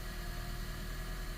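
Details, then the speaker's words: 2017 Honda Vezel Hybrid with cold-start misfires, cold idle with dash warning lights on: uneven, lumpy low beat stumbling every few firings, rough vibration; scan shows misfires on cylinders 1, 2 and mostly 3, none on 4, air-fuel lambda near 1. "thing really do with this misfiles missile one two three and four okay so let's graph it all right so let's start the vehicle up and then warm up and see what's good all right so you see all the lights on the dash this is what he was talking about okay I'm seeing a misfire on number two number three is counting number"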